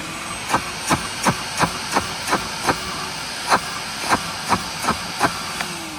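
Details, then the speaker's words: Curbside Craftsman 5 gallon shop vac with a ripped bag: sharp clicks about three a second over a steady motor hiss as debris rattles in the clogged hose. The motor itself is fine. "Perfectly fine, but I believe this hose has a clog in it because we got that going on and this."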